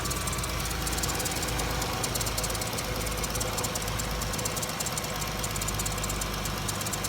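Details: 2012 Dodge Caravan with overheating, radiator replaced and fan seemingly not working; idling while checked for leaks, none found; steady smooth idle hum with no knocks, ticks or stumbles, engine running fine.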